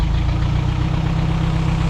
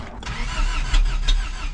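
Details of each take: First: 1987 Toyota 4Runner rebuilt engine after distributor moved one tooth, no exhaust fitted, dumping straight out; steady even idle, loud raw unmuffled rumble, no misfire or knock: runs pretty good. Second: 1st-gen Toyota 4Runner, 22RE engine, 5-speed, first crank after engine rebuild: sharp low pops from the exhaust between starter churns as distributor is adjusted fully one way; ignition timing badly off, possibly distributor one tooth out, causing backfire.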